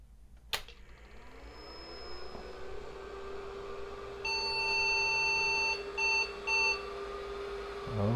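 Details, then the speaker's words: IBM 5150 PC at power-on with an IMI 10MB MFM hard drive fitted, possibly needing a low-level format: a soft whine climbs over about two seconds and settles into a steady hum while beeps sound, the drive spinning up. "listen to that drive swing you back to the screen"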